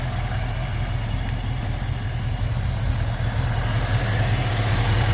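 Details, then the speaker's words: 1956 Ford F500 truck running off its own reassembled fuel tank with new sending unit, fuel neck hose and Wix filter: deep, steady low idle rumble with an even beat, no stumbles or knocks; normal idle, no leaks. "And there we go, ladies and gentlemen. She is running off of her own fuel tank."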